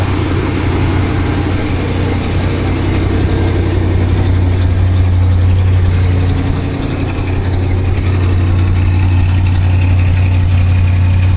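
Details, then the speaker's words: 1978 Dodge Monaco patrol car, described as pretty original, idling with a steady, even low V8 burble, no misses, ticks or knocks; runs like a million bucks, though a small exhaust leak is noted afterwards. "It's pretty original, fellas. It runs like a million bucks, though."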